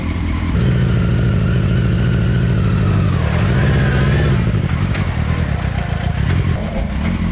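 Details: Mini trophy truck project in four-wheel drive with new lower gearing, bigger tires, new chain tensioner and stiffer front shock preload; engine pulls and revs under load with a low, even drone, no chain slapping or rattling: quiet chain drive.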